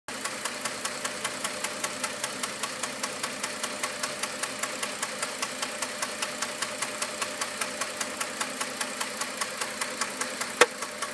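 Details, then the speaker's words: 3.7L V6 petrol engine idling with light fast ticking and an occasional sharp ping, roughly every 4 seconds but not constant; intermittent misfire, cause unknown to owner. "Waiting for the pinging sound. Doesn't happen all the time. Usually every 4 seconds."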